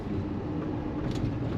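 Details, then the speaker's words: 2015 Ford F-350 6.7L Power Stroke diesel (CP4 pump) after 6–8 gallons of gasoline in diesel tank, on road test under load: steady deep drone, no clear knock or miss, fuel pressure good; truck sounds normal. "I mean, everything seems normal, so I don't know. I'm here to tell you this doesn't always happen. Truck sounds good."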